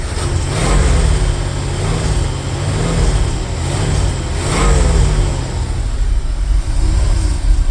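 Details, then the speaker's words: 1977 Chevy squarebody barn-find truck, first start in 17 years, tachometer not working, black smoke: revs rise and sag in a hunting rhythm, struggling to stay running; owner suspects no constant-pressure fuel pump, other suspects a blocked line or empty tank. "doesn't exactly want to keep itself running, but I don't know. It's cuz it doesn't have a fuel pump, constant pressure, maybe."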